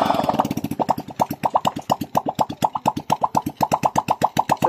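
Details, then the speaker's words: Honda XRM 125 after rebore, new piston and rings for white smoke and oil consumption, running with exhaust off; sharp, even pops about four a second from the open port, no skips or rattles, no white smoke: normal idle. "So namar na guys Wala siyang puting usap na lumalabas sa kanyang bunganga ibig sabihin Oks naas ang ating pagtrabaho"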